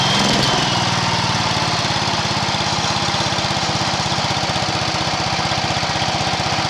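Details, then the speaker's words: Allis Chalmers 716H garden tractor engine with cleaned original carburetor, revved; fast, slightly uneven beat with irregular pops back out the intake, blamed on bad valves; loose, rusty points wiring could also cause trouble. "It was loose, which that could cause a mess, but the valves are bad. You try revving up, I don't know if you can hear it. It starts popping out the intake."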